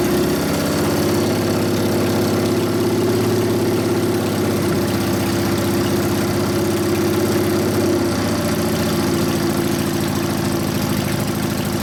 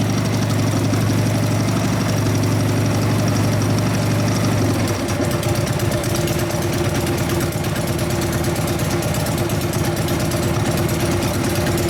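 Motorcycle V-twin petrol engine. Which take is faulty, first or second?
first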